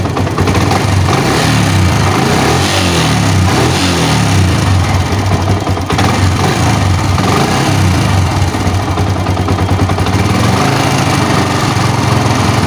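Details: Old Yamaha Vixion, warm engine losing power: harsh uneven clattering rattle over rough single-cylinder idle and revs, louder when hot, knocking from the cylinder block; worn piston slapping in the bore.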